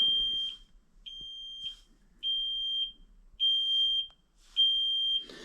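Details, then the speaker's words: Kenworth T370 diesel truck, key on, engine off, during code reading: sharp high-pitched beep about once a second with short quiet gaps; cab warning buzzer. "I'm going to unhook that freaking beeper too driving me nuts"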